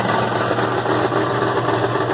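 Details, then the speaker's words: 1974 Dodge Power Wagon at loud, raspy idle: a fast buzzing rattle rides on the exhaust note and stops when the back of the muffler is squeezed. The worn-out muffler is the cause and is replaced. "can hear that rattle in the exhaust. A loud exhaust is fine, but that's just ridiculous. So do you hear that rattle? When I squeeze the back of the muffler, it goes away."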